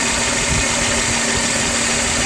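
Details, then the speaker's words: Car idling after cheap coolant hose leak repair, warming up while temperature is watched; constant even idle hum with steady hiss, no knocks or surges, no more leaks seen; normal idle. "good we're looking down here the car's running i don't see anything leaking anymore"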